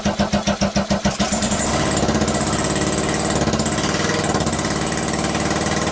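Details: 2012 Kawasaki Ninja 250 twin, 42,000 miles, basket case test-fired on a stand with gas trickled into both carburetors; cranks with even pulses, catches and settles into an uneven, lumpy idle; owner unsure it runs on both cylinders.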